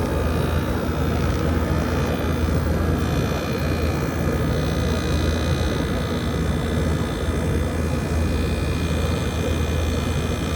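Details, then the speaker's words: 2012 Frigidaire 18,500 BTU slide-out chassis window/wall air conditioner, R-410A 27 oz, 220 V, nearly 14 years old, first startup of the spring at about 88°F outdoors; unit placed outside, compressor starting. Constant low hum, steady airflow whoosh, no rattles or cycling: normal compressor running. "I'll put this outside and we're gonna get a startup of the compressor."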